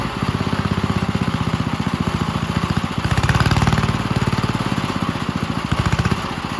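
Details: 1951 Gravely Model L garden tractor single-cylinder, running after fitting a hotter backup magneto (original gave weak spark) and cleaning an oil-filled carburetor; crisp even firing around 220 beats a minute, brief rev-up midway then back down; healthy normal running.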